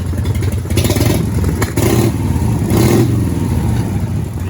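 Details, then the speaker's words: 1990 Harley-Davidson FXST Softail Springer on a thinner-diameter straight-through original exhaust, with a new Mikuni carburetor still cleaning out: lumpy V-twin revving with uneven surges and dips. It runs rough. "Using a new Mikuni carbon. You know, just basically cleaning everything out at the moment, which is why it sounds rough."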